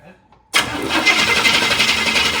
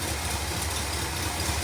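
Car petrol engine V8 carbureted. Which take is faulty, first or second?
first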